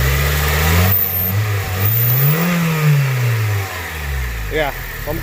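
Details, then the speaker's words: Engine with ECU issue: revs climb then sag and waver under throttle, nearly dying; suspected too much air entering, idling issue later seemed gone. "definitely got a too much air I think is going in yeah so I'm gonna go ahead and check this out and see if I could swap out throttle body"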